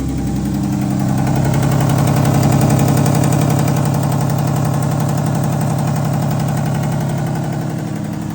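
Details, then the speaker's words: Steady idle with a quick, fairly regular tick, about 220 a minute, over a low rumble, described as ticking kind of bad; owner points to bolts below, source unconfirmed. "almost positive that that's going to be as loud as it is on the camera as it is in person. But yeah, it's ticking kind of bad."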